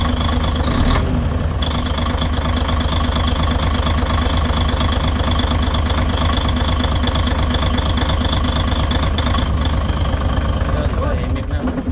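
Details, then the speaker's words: 6m70 engine (title calls it low-power and still knocking): steady diesel idle, even low drone with a soft regular beat and no sharp knock standing out. Speakers say it is quiet, has power, and the knock is gone. Normal idle. "Tahimik to eh. May power nga oh. May power nga siya eh."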